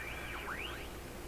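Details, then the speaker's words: Radio under IF alignment with a BK 3030 sweep generator, strong unmodulated signal injected around 850–875: faint whistles gliding up and down in pitch over low hiss, heterodynes from frequency mixing in the mixer tube where the set should be silent. "Well, you get heterodynes because of a combination of two frequencies being mixed within some kind of nonlinear device. And that's exactly what the mixer tube is."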